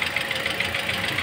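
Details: Toyota Altis petrol engine idling with a sharp, regular knock about six to seven times a second, with cooling system bubbles after AC compressor replacement left coolant unfilled; cause of knock suspected, not confirmed.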